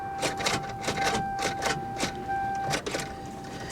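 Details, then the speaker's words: Salvage auction car with corroded battery terminals: rapid irregular clicking about four per second over steady chime, engine never turns over, dies repeatedly; suspected battery terminal issue, or starter or locked-up engine. No start. "And then it's dead again, just like that. Completely gone. Yeah. This definitely seems like a battery terminal issue."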